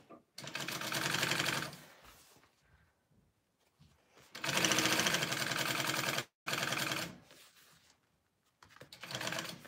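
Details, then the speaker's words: Straight-stitch-only sewing machine stitching a tote: bursts of fast mechanical chatter with a light click that comes and goes, as a lever sometimes sticks and moves when it shouldn't. Intermittent clicking, cause unclear. "i don't know if you can hear that clicking noise watch my little lever right here it like gets stuck sometimes"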